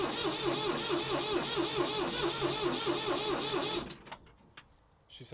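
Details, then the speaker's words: Abandoned Ford 3000 tractor that had overheated and sat over a year, first start attempt: steady rhythmic cranking about two turns a second for nearly four seconds before it fires; it later steams again. "like she's close believe it or not she's alive"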